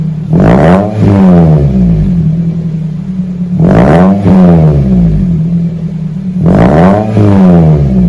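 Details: 2001 Toyota Celica GT 4-cylinder after new axle-back exhaust with Magnapack muffler, stock front, 4-inch stainless tips: three quick revs about three seconds apart rising and falling cleanly over a deep, mellow rumble; healthy exhaust.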